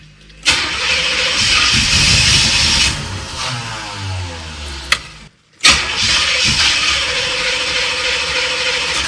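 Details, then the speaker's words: 1986 Corvette C4 with rebuilt L98 TPI V8 on a not fully charged battery: starter grinds sluggishly in two long attempts, slowing as voltage drops, no start. Owner suspects a bad ground or the starter. "Come on. It's just eating away at the volts."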